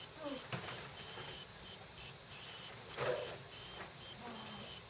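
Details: Dead laptop hard drive running with cover off: faint high cricket-like chirps and scratchy ticks in irregular bursts as heads seek; probably died from head parking every minute or so (suspected OS X/power-save firmware interaction).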